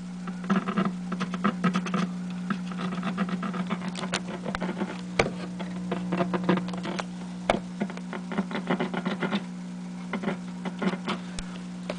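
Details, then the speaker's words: GE 17T11 tube black-and-white TV, no high voltage: irregular crackles and pops over a steady hum from the speaker each time the antenna screws are touched with a screwdriver; the audio section is passing signal. "hear the speaker crackle so signal is getting through the audio section anyway"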